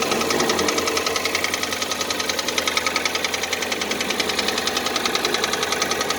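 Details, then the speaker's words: Piston knock on cold start, 2014 Kia Cerato 3, 2.0 L, about 143,000 km: steady sharp metallic knocking, two to three per second, at cold idle; diagnosis found scoring in cylinders 2 and 3, knock present for about 1,000 km, first suspected hydraulic lifters. "java характерный стук поршней слышно я не буду до рабочей температуры"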